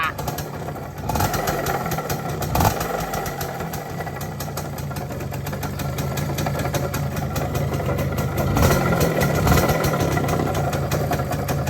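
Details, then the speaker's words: Yamaha F1ZR two-stroke motorcycle, not run for a long time, running with a coarse, rough rumble; owner blamed the clutch housing, but the mechanic judges it is not clutch-related and suspects worn crankshaft bearings, noting the crank has heavy fore-aft play. "Suaranya dari mana itu? Berisik banget suara grok. Ya bukan dari rumah kopling ya guys suara berisiknya."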